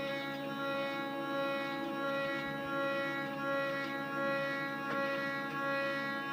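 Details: DIY CNC test run at 250 mm/min feed: a steady singing hum with many bright overtones as the X axis vibrates heavily; axis vibration noise, cause unknown.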